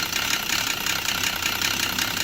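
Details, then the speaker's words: Volvo XC90 at idle with scanner showing exhaust cam position too high: harsh rapid diesel-like clatter, pointing to a timing belt that has jumped at the crank. "that'll be yeah there we go damn position that's too high exhaust too high yeah so that probably means time and belt has jumped at the crank"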